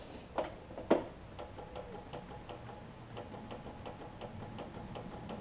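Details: John Deere LT166 mower with starting issues: two sharp clicks with the key, then faint ticking, no starter spin; solenoid clicks but engine won't crank; battery to be checked next, otherwise possibly a new solenoid.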